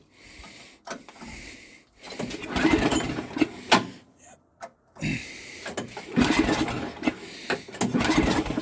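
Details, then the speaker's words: Snow blower, cold start, electric start not working, owner thinks it's flooded; repeated rope pulls, short whirring bursts with brief coughs, never catches. Engine cranks but won't start. "well guys it might be a no i can feel it kind of firing no it's uh not gonna go it sucks"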